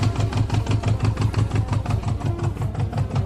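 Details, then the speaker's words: Old Japanese project motorcycle with seized choke held by hand: at idle, a regular sharp puff on every firing, about five a second; owner suspects an air leak, not confirmed. "It does kind of crank. There is some air leak over here that is farting."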